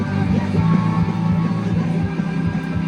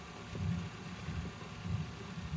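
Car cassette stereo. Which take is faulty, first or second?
first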